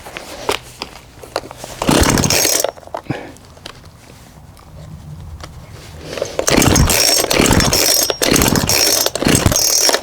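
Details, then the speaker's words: Cheap £20 auction two-stroke chainsaw being revived, warm, running with chain on: uneven, surging buzz with irregular revs and drops between bursts; runs but rough. "there we go that's a bit rough with the chain on than that"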